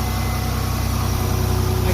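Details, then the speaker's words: 1996 Toyota 4Runner with 3.4 V6, first start after sitting two years, once freed by banging on it: steady, even low idle rumble with a regular beat and no knocks or misses. Not revved; runs fine. "I'm gonna go ahead and give it a little bit of gas but since it's been sitting for a while I'm gonna let it be see she's running"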